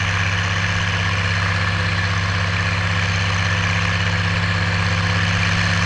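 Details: Oliver 1550 diesel tractor (about 54 hp) pulling a John Deere BW disk about six to seven inches deep, running like a top now that whatever was in the fuel system has cleared; a steady, even drone under load with no misses, knocks or surging.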